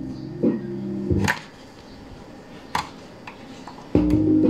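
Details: Kevler GX5 amplifier after repair of a broken RCA input connection that caused hum and no sound on one channel: music plays clearly through the repaired channel with no hum or dropout; channel working normally.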